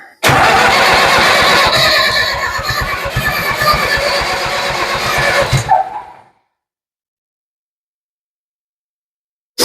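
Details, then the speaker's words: Ford 7000 diesel tractor after timing rework, suspected 180 degrees off, with injector lines being bled: fast cranking with occasional weak firing puffs that never catch; struggling to start. "Wow, I would call that a stumble. That makes me happy. Sounds like she's trying to go."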